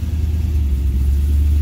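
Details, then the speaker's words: Cadillac CTS-V (gen 1, LS V8, big cam) found abandoned, returning to idle after a throttle blip: deep, smooth rumble with no ticking or stumbles; good oil pressure, no unhappy lifters. Normal idle. "sounds like the motor's got good oil pressure i don't hear any unhappy lifters or anything"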